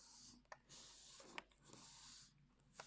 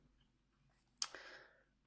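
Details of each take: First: Olympus 12-40 Pro lens on a Panasonic Lumix G8, camera off. Soft airy swoosh each time the zoom ring turns, short strokes with quiet gaps, smooth with no grinding; normal zoom noise, unlike the grinding heard with the camera on. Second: Olympus 12-40 Pro lens on a Panasonic Lumix G80, heard with the lens held close to the camera while zooming with the camera on: a single half-second, high, thin, dry rubbery rasp with a sharp click at the start; the grinding noise occurs only when the camera is on.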